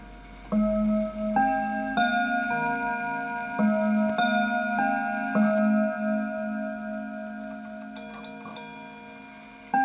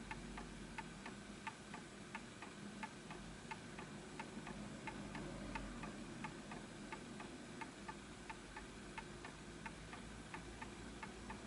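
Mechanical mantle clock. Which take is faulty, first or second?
second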